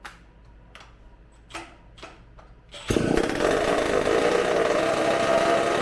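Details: Supercharged McCulloch two-stroke chainsaw engine on bench, restarted on tank fuel: a few clicks, then catches to a rough burbling fast idle; running very rich, burning black sooty smoke, won't die even with hand over intake as air pumps through ports.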